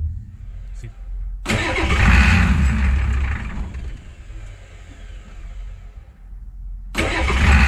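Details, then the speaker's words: 7.3 IDI diesel truck after new injector return lines: catches and revs, then sags and dies within seconds once throttle is released; repeatable long-standing stalling off throttle, no leaks, cause not yet found. "but it's still dying when you let off the accelerator so there's still some things to sort out I guess"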